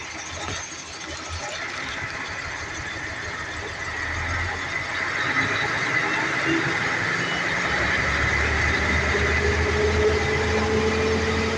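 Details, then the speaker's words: Mercedes-Benz Actros V6 diesel, also hard starting: the idle won't hold steady, with revs drifting up then sagging over several seconds from uneven fuel atomization. RPM hunting at idle from faulty injector nozzles and electronic unit pumps. "good day everyone in case you experience this kind of problem with your diesel at engine whereby your RM is fluctuating or moving up and down simultaneously this this indicate that your injector nozzle atomization of fuel to the combustion chamber is not uniform as a result of that your engine speed will be imbalance"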